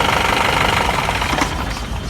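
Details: 2011 Mahindra Bolero with a power steering problem, after the pump repair: steady diesel idle with even clatter, no whine or growl from the pump; steering pump runs free and quiet.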